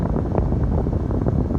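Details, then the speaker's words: Foton Tunland 4x4 double cab, 2.8 Cummins ISF diesel, engine running, aircon off, cabin blower stepped through speeds 2 and 3: steady huffing air rush, no rattle or squeal; normal blower operation. "I'm not sure if you can hear the huffing sound. That's the 2. That's the 3."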